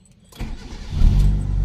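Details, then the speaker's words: Mitsubishi E-Car 4G92 after repair for poor acceleration, unstable idle and rpm drop with A/C on; fuel filter replaced: short crank catches almost instantly into steady idle; starts easily every time. "ตัดสินง่ายนะครับดับกี่ทีๆก็สตาร์ทติดง่ายนะครับ"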